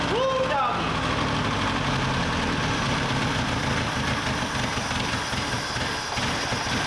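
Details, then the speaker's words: Old Datsun 520 pickup engine long unrun, carburetor leaking fuel: loose uneven ticking clatter over rough idle about two per second; valves with no tappets out of adjustment with excess play, need adjusting; head gasket also suspected. "and that noise most likely is because the clattering noise I was hearing is because these are out of adjustment and they have a lot of play in them especially that one"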